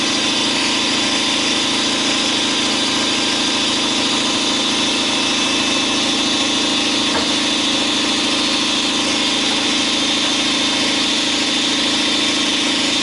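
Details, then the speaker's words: 2012 Chevy Silverado 5.3L AFM V8 at idle with a steady ticking clatter that follows idle speed: the number four intake lifter has collapsed and is not pushing its rocker arm. "number four take take the leaf there on a intake valve it collapsed and it's not pushing the rocker arm"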